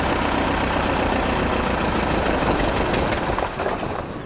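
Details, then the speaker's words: Amphibious Ford tractor with Sherman transmission in high range, second gear: engine labours with a rough, uneven beat under load, then sags and fades; bogging, not yet tuned. "I had a feeling that was going to happen. We're not quite tuned up yet. Try a little more throttle."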